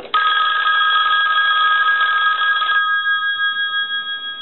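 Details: Red AT&T rotary dial 500 desk telephone, rung with the analyzer after the bell issue was resolved and the line port replaced: loud clear double-bell ring nearly three seconds then clean fading ring-out; strong healthy ringer.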